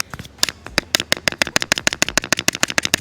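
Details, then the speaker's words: 1991 Rolls Royce rear speaker: dry, papery crackling rattles in quick uneven bursts, from the cone rattling loose because the foam surround (suspension) has deteriorated; the speaker itself is physically fine. "There's no suspension. So there's nothing to keep the speaker linear in the gap. So therefore it sounds like it's blown. So it makes this noise because it's rattling."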